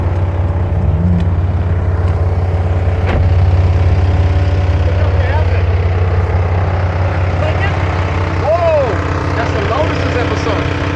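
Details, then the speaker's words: BMW F82 M4 at idle with a steady low droning hum and a faint throb about three beats a second from the electric radiator fan near the air conditioning, vibrating for two years and much worse since a track day; the fan was replaced. "It's been vibrating for the last 2 years, but ever since the most recent track day, I hate that buff. Yeah, ever since the most recent track day, it's been vibrating like crazy."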